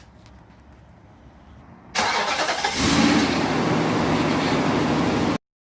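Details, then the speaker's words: Nissan Armada/Titan started after radiator replacement, with cooling and power steering systems bled: engine catches quickly and settles into a steady, even idle with no knocks, ticks or squeals; normal start and idle. "i've also uh bled a cooling system the car sounds great as you can hear it in the background no weird noises"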